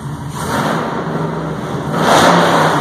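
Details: 1951 Chevrolet 3100 pickup, Art Morrison chassis, supercharged LSA crate V8, low miles, free revving: revs climb smoothly and fall back cleanly, deep even note, no misses or knocks; healthy engine.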